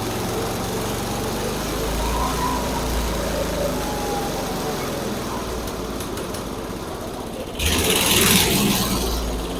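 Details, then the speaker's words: Barn-find Snapper chipper shredder, 8hp Briggs & Stratton, choke on, carb cleaner: runs rough and uneven on its own, surging a few seconds before faltering; carburetor still gummed up. "all right well that wasn't as good as I'd hoped but at least it ran under its own power for a little bit like the carburetor is still gummed up"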